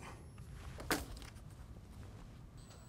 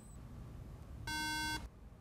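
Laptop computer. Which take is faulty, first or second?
second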